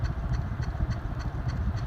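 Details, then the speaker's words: Hunter C-18 ceiling fan, light kit removed and running on the new single-speed switch: a light, evenly spaced tick about three times a second over a soft motor hum; a blade is likely slightly out of track. "There still is a slight tracking issue with one of the blades, it sounds like."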